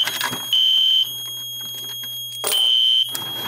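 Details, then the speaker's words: Monaco Vulcan 1 fire alarm panel with a pull station on Zone 1: after the pull station is reset, the horn still sounds in short on-off bursts with a low buzz until the panel reset is pressed. The panel stays latched in alarm. "see it's reset but it's still going now I can just hit reset here and that'll shut off"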